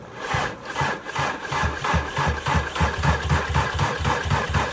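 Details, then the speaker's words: VW Golf R turbo four-cylinder AWD, mechanically totaled with a hole in engine and transmission: starter cranks steadily, about four beats a second, but never fires; three wires are wondered about, cause unconfirmed. "CR, it will not fire over. It just cranks forever. It will not fire over."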